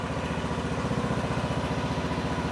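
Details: John Deere D105 lawn tractor in neutral, blades off, started on full choke then set to slow speed to warm up: a steady, even low putter with regular firing and no misses or knocks. Normal idle.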